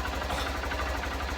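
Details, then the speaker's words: Honda CBF125 (59 plate) after stator replacement for a no-charge fault, battery now reading about 14.3–14.7 V at idle: steady, even single-cylinder idle, smooth low thump, no knocks or rattles; normal idle, charging fixed. "at fourteen point seven fourteen point two nine hovering that is perfect so we now know that when I start this bike up it's going to recharge up"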